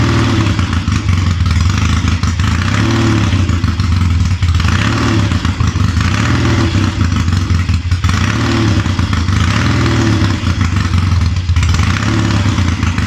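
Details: Triumph Tiger 90 350 with electronic ignition, first cold start after rebuild: rough clattery note surging in repeated rev blips without clean pickup; ignition timing out and carburation probably a little off.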